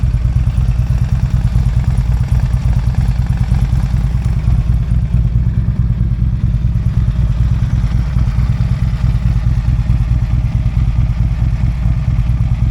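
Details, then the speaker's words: Harley-Davidson V-twin after shop repair with a new chain and a replaced worn bearing. Deep, even loping idle with a faint expected cam tick, and the earlier rattle is gone. "a little bit of noise because I don't have the little chain anymore for the cam so you do get a little bit of that noise which I expected that that's normal you know you're gonna get some noises on your Harley no matter what but the rattling noise is definitely gone"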